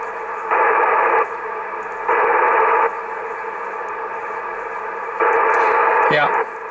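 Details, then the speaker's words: ICOM IC-726 transceiver with dead spots in TX and RX: brief hiss bursts falling to unusually low static, a first sign of a dead spot; PLL/VCO fault suspected. "so that is really already a very first indication. So you hear that the static is relatively low."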